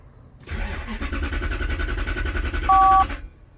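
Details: 1993 Lexus SC400 4.0, 105,000 miles: cranks evenly about 2.5 seconds but never catches while the red/green fuel pump control wire is probed; no voltage, the ECM is not commanding the fuel pump.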